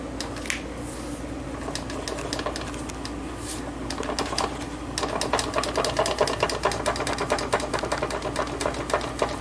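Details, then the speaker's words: Transmission removed after a swap and turned by hand on the bench: irregular light clicks and rattles, speeding up slightly; owner suspects a bad input shaft bearing, unconfirmed. "I don't know what that is, but really the I was thinking the uh input shaft bearing could be bad."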